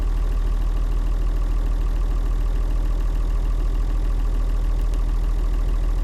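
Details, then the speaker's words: Leyland tractor with rare six-cylinder Leyland 698 diesel, described as sweet, beautiful running; steady low diesel chug at an even beat, no knocks or misses: normal healthy idle. "i like them they're lovely sweetground and six cylinder uh it's a 698 leyland engine beautiful running thing and quite rare"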